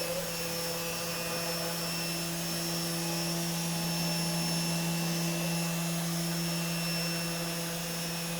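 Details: CNC machine running Mach3 after a three-week noise problem was solved with an opto-isolated breakout board: steady, even hum with a clean fixed tone and light hiss, no crackle or stutter. Normal running.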